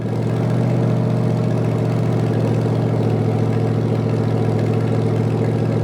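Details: Rebuilt '73 Canadian 350 Chevy small-block with a replaced piston and rod, big cam and fuelie heads, first run warming toward operating temperature with no fan and valves not yet adjusted: a deep, steady idle with slight cam lope and no knocks.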